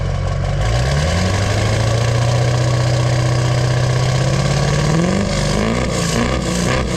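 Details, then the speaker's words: 2002 2500HD 6.6 LB7 Duramax diesel after fitting a new 4-inch downpipe-back exhaust to fix a front leak and a cracked muffler: deep, steady idle rising smoothly on two blips and settling back, with no rattle, tick or puffing leak. "Oh, that sounds so much better without the exhaust leak, and the freaking exhaust ain't crackling together."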